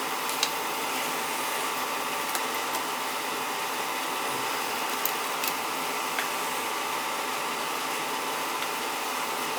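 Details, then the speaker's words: Oil-fired boiler (possibly New Yorker) with Tjernlund power venter, tripping off and not firing: steady fan whoosh with faint hum, no burner roar; 110 V reaches burner motor but it won't run, diagnosed bad burner motor (CAD cell doubted). "Might have a bad CAD cell, but I don't think so. It was the burner motor. Got a bad burner motor there. She's not running."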